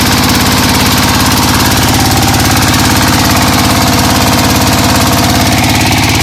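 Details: Single-cylinder diesel after correcting camshaft gear timing, which had caused misfiring and backward turning, run about a minute to warm up: steady, even thump at about three firings per second. No misfire or knock.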